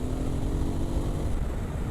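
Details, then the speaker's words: Voge DS800X Rally with new aftermarket exhaust, riding on road: deep even burble, quieter than original exhaust, no popping or rasp; normal exhaust note. "It's actually not as loud as the original exhaust, which is surprising. However, this is nice. Got a nice little deep burble to it."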